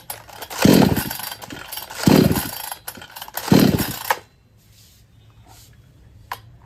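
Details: Kisan Kraft / R Yantra 58cc two-stroke chainsaw on premixed petrol (20 ml two-stroke oil per 500 ml): three rough throttle blips about every 1.5 s, then the engine cuts out after the third; won't hold revs or take load. Weak spark-plug current suspected, unconfirmed.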